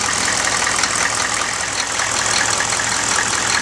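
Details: 1995 GMC Suburban 6.5L turbo diesel after HX35 Holset clone turbo swap, warming up at idle after first start: even clatter with bright airy turbo hiss, no misses; normal diesel idle.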